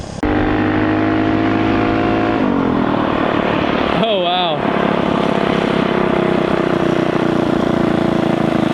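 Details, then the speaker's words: Mini ATV with a newly installed GoPowersports Juggernaut torque converter, first short ride test: the engine climbs smoothly to a high, steady scream and holds revs under load without bogging, instead of being bogged down as before. "she screams. Yeah, it just feels like it's more in its happy rev range versus being kind of bogged down."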